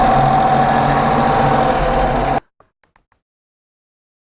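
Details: Range Rover Classic 3.5 V8, after intake manifold removal and cleaning, new intake gaskets and a soldered radiator: steady dull tick at idle, suspected hydraulic lifters near cylinders 7–8, though all lifters checked with none loose; cause unconfirmed.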